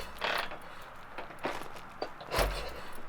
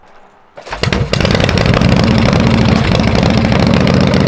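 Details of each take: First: Shovelhead chopper with aluminium heads (stripped bolt holes repaired) cranking on the starter: uneven chuffing bursts, each stroke pushing back firmly. Good compression; owner suspects worn valves, valve seals or guides. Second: Shovelhead V-twin chopper kick-started after sitting, good compression; catches in about a second into a loose, lumpy, rough but steady idle with visible smoke, worse than before; owner suspects valve seals or guides rather than cylinder walls.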